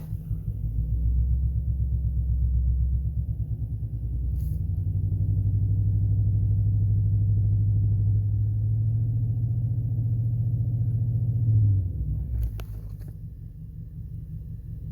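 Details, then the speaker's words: 2005 Chrysler 300C Hemi idling, heard outside: a deep, uneven, lumpy idle with popping from the exhaust; misfiring, not running on all cylinders, with no codes stored; owner suspects an ignition coil. "You can't, like, it's making that pop pop pop from the exhaust. It's definitely not running on all cylinders."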